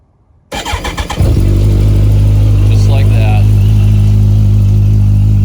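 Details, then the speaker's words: Kawasaki ZX14R after rebuild, cold start on a cold day then steady four-cylinder idle with a faint light rattle over it; owner suspects an exhaust header leak, not confirmed. "You can hear like a little rattle. That's actually the exhaust headers. I think that there's a little bit of an exhaust leak coming, but you can kind of hear it."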